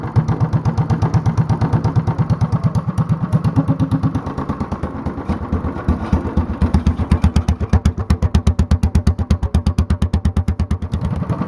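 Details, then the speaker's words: Honda clone single-cylinder engine, mostly stock with stage 1 kit and header, 10-pound cast iron flywheel on the crankshaft and cam work for full compression at low rpm, idling about 500 rpm or lower under light load: slow thumping pulses about three per second, sounds like a hit-and-miss engine, running smoothly. "Sounds like a hit and miss engine now. This is how, boys and girls, this is how you build a hit and miss engine at home with a Honda clone."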